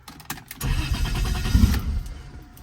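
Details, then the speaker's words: Toyota 1JZ-swapped BMW E36, first start in over 10 years after ECU adjustments, new battery and steady fuel pressure: a few cranking pulses, then catches and settles into a low, even idle; starts and runs normally. "I am super stoked the car finally runs."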